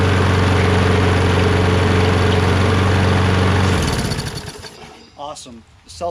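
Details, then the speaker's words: Poulan 22-inch self-propelled mower with a Kohler XT675 engine, after a drive wheel replacement and carb clean. Steady, even drone for about four seconds, then it cuts off and coasts down. It sounds healthy, and the self-propulsion works. "proportion works great so that's it that was it just going to put this all back again"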